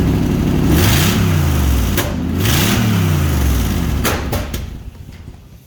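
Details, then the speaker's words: Toyota Toyoace, first start after wiring and fuel work with some shortcuts; fuel pressure needs to be wound up: the engine surges unevenly, then sharp pops at about two and four seconds as it stumbles and dies; backfiring and rough running. "Alright, so we got it going. That's awesome. So there's a few shortcuts that I need to remedy, obviously. And the fuel system seems to be okay, but the fuel pressure needs to be wound up a bit."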